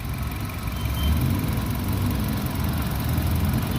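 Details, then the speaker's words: 2014 Nissan Evalia ST engine idling, heard at the engine bay: low, even idle rumble with a steady beat and no ticking or knocking; engine sounds smooth, normal idle. "Suaranya halus teman-teman. Suaranya masih apik, masih halus."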